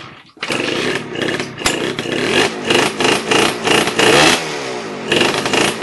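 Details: MT5 first start after renovation: crisp two-stroke buzz rising and falling through quick throttle blips, picking up cleanly each time; normal running.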